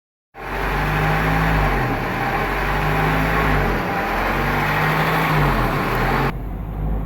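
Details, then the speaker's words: 1997-2001 Honda CR-V petrol engine at idle, its speed rising and falling about every two seconds or hanging at 1,500-2,000 rpm, possibly from a failing coolant temperature sensor; the car sometimes won't restart when warm. "you have an idle problem like this on your CRV where it goes up and down or it stays at one and a half sometimes even 2 000 RPM"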